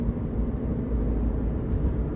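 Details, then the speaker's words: 2007 Jeep Liberty 3.7L V6 that ran rough towing a boat, with codes P0302 and P2305; coils and plugs replaced. Driving, it gives a steady, even low rumble with no stumble, all six cylinders firing. Problem cured; normal running after repair. "we're back baby we got all six cylinders popping and going again so that did cure the problem"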